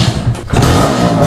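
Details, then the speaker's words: Suzuki X4 unused for over a week: rough, uneven low chugging as it struggles to start; choke cable broken so choke can't be used; hard starting. "So ngayon kaya ang hirap niyang buhayin pagka galing siya sa matagal na pagkaka stock yan oh Tulad niyan Kailangan ko pa i- choke"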